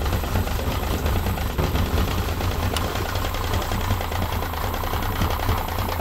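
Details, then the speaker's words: 1995 Yamaha 50hp (62F-80) two-stroke carbureted 3-cylinder autolube outboard with a running fault: rough, uneven idle with a dull, irregular mechanical knock. Bottom cylinder feels coldest, plugs fairly new; source unclear. "Kuuluu täältä jostain. Ihan niinku joku mekaaninen nakutus. Kuulostaa nyt hiukan oudolta."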